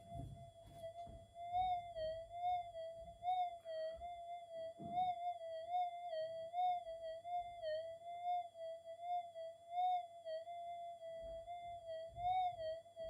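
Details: Minelab GPX 5000 with a redesigned input stage using lower-noise resistors, capacitors and op-amps, in Deep, Normal timings, Cancel mode fixed: a clean, steady high tone swells and wobbles as the small target passes, with little hiss. It is a strong, quiet signal.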